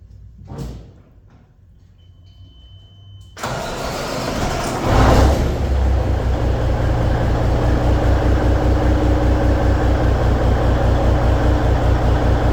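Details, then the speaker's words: 1998 Kenworth W900L truck with Cummins N14 diesel, started in the shop: catches quickly after a few quiet seconds and settles into a steady, even low idle with no knocks or misses; normal diesel start and idle. "Starts and runs."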